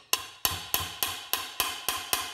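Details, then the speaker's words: VW Gol gear lever engaging first and second gear: dry, tinny metal clanks about three per second ringing like a small bell, from bare metal in the shift linkage hitting without its nylon cushioning pad; fix is a PVC pad, optionally with grease. "Você vai bater aqui, ó, faz aquele barulho de lata, tec, tec, muito chato, né? Mas minha mulher dirige o carro também, ela força muito aqui, então faz aquele barulho seco de lata, parece um sino, né?"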